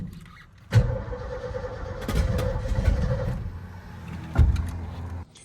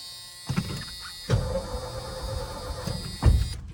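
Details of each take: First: 1980s Ford F250 big-block, fuel tank off, cranking on starting fluid: cranks, catches with a few ragged bursts, then dies; fires only on the spray, fuel starvation from previous owner's fuel issue suspected, not confirmed. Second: 1980s Ford F250 big block after new starter relay installed: short bursts of even, strong starter cranking with pauses, no firing; healthy cranking, fuel issue suspected.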